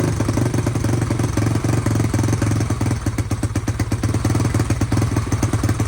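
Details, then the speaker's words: SSR YX140 pit bike PF2 build, Nibbi carburetor, first start-up with choke left on: loud single-cylinder thump, uneven hunting idle and rattly clatter; running rich and rough, idle and air screw need adjustment. "I need to mess with the idle and adjust the air screw. Sounds like she might be a little rich."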